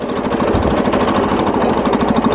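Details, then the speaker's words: John Deere riding mower while riding: fast rough uneven chattery rattling pulse over the running engine, owner suspects ignition points drifting out of adjustment upsetting timing; ignition points out of adjustment. "noticed something while i was riding around it sounds like the points are getting a little out of adjustment again i hear that sound you know that little weird i don't really know how to describe it"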